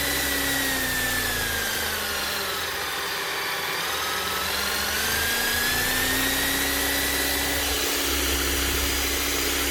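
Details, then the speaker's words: Bosch GSH 11 E 240 V demolition hammer running after repair with an aftermarket copy armature; smooth, even motor whine at steady speed with no rattle or grinding, sounding like a brand new machine. "Sounds perfect. Nothing wrong with that at all. Sounds like a brand new machine. Actually does sound very smooth."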